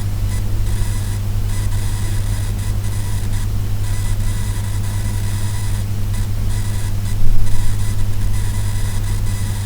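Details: HP Spectre x360 laptop: constant electrical buzz and thin high stuttering whine, coil whine from CPU power-state switching, not fan or speakers; gone when CPU power states disabled, persisted after laptop and mainboard replacement.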